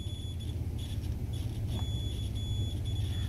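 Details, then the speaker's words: Iron being diagnosed with a meter on ohms: high, steady continuity beep in short stretches confirms the power cord conductors are intact, so the fault (thermal fuse, thermostat or element suspected) lies further inside the iron. "you hear that don't mean to say from these two ends to these two ends are okay so I have to go further into the iron to find where the problem lies"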